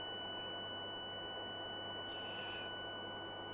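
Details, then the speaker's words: One-quadrant chopper (buck converter) on a 24 V supply, during checks before measurements: a steady high switching whistle at about 1.5 kHz holds evenly over a low hum. Normal chopping. "on entend le sifflement du découpage"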